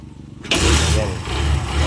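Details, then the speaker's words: Barako 175 single after a carburetor tune, valve clearance adjustment and decompression adjustment to fix hard starting: one kick and it fires right up, settling into a steady, even thumping idle; it now starts easily. "Ayun, is-start na siya at meron na rin siyang menar. Nag may ginalaw lang tayo dito at nag-vance tayo at tinuno natin yung karburador. Madali na siyang paandarin kaysa kanina."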